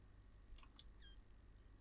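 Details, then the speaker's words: Dead ASUS ROG Zephyrus GX650 laptop motherboard (no power, no charging, no LEDs) on bench supply injecting 1.5 V at 6 A into the 19 V rail: faint high chirps and a falling squeal, a squeaky short circuit drawing power briefly. "I've never had a squeaky short circuit before."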